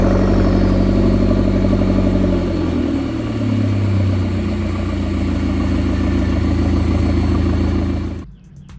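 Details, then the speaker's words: McLaren 650S Spider V8 idling: loping, uneven exhaust beat after repeated, increasingly frequent cam position faults; faulty cam phasers suspected. "the reason for that is cam phasers uh it started from one cam position fault that would come up once and it would come up a little more frequently"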